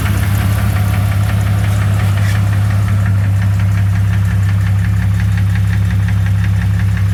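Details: 2001 Jeep Cherokee 4.0 at idle with a sharp, regular knock about three per second over a low hum; flexplate is new, cause uncertain: engine knock.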